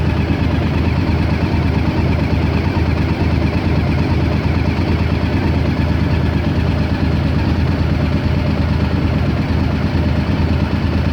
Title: 2001 Honda XL1000V Varadero Rough Idle